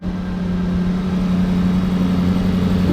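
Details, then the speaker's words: 2021 Range Rover SVR V8 salvage rebuild, first start after repairing the engine failure that holed the block, exhaust disconnected, fan on: smooth, even idle with a steady low hum and no knocks, ticks or misses; the repair appears to work. "Acho que tá funcionando. Olha, [risadas] acho que tá funcionando. Parece bem suave."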